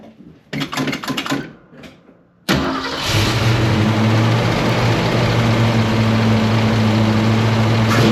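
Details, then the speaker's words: 1968 Ford Mustang 302 V8 after installing a Pertronix Flame Thrower distributor, coil and Moroso plug wires: a few clicks and cranking, then clean catch into a steady, even idle with no misses. "It sounds like it's idling happy. I'm gonna take it for a rip and see how that goes."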